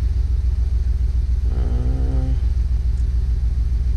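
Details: 2008 Jeep Wrangler, flashing check engine light, codes P0300 and P2305, coil, plugs and wires already replaced: steady idle with a regular hiccup, three or four dips a second; misfire from faulty ECM driver for ignition coil 2.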